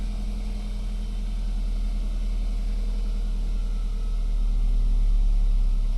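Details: 2008 BMW E92 320i N46N cold start in the morning below about 18°C: low idle drone with an uneven pulse of about four beats a second; fine when warm, no fault codes, persists after new VANOS solenoids, plugs and carbon cleaning; coils and throttle body still untested.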